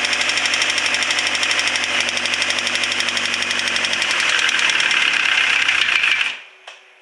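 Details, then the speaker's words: Subaru STI EJ25 with rebuilt Precision 6262 turbo, new timing belt tensioner, cams retimed, first start attempt without coolant: uneven metallic knocking for six seconds of cranking, about four per second; owner fears bottom-end damage; abnormal cranking noise. "Making some funky noises. Not sure what we got yet, but I'm afraid we may have some bottom end"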